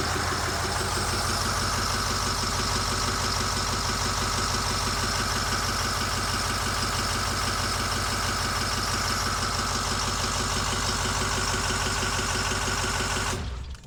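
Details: 2008 Ford E350 diesel, mostly rebuilt engine, first start with no coolant or radiator, IPR a little high from air in system: steady even idle clatter, smooth beat, then shut off to avoid heat; oil pressure up, normal idle.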